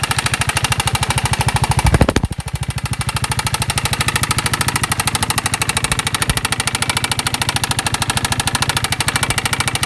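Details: Piaggio MP3 / Vespa GTS 250 single-cylinder at idle: fast steady ticking knock about two and a half per second over a rattly idle; engine knock, cause unknown.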